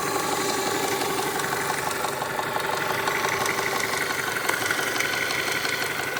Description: 1996 Honda prelude si 2.3l dohv h23a1 top end ticking sound